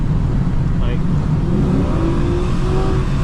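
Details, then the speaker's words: Automatic transmission with 2.43 rear gear, driving: engine note climbs and flares without pulling harder, then settles as it downshifts into first and just revs; transmission slipping, judged shot. "you hear it. And then it downshifts down into first and now it's just revving. So it's uh definitely shot, man."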